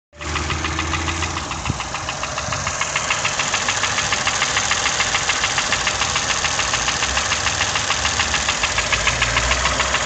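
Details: Toyota 1KR-FE engine starting and idling with sharp regular knock about 3.5 per second despite new timing chain, tensioner and guide; cause unknown.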